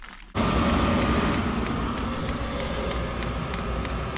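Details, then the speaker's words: Newly installed diesel heater under an RV fifth wheel, first start after fueling: fan whoosh kicks in and settles to a steady, even roar with a faint ticking pump pulse; heater fires up, blowing warm air. "right, we're getting somewhere. So that's warm. It's actually warm air."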